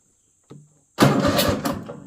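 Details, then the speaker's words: Cub Cadet LTX 1050 mower after repairing a broken red and white wire terminal at the key switch connector that caused no start, no crank, no lights; relay clicks, starter spins with strong even chugging; normal cranking. "yep it cranks so it should start"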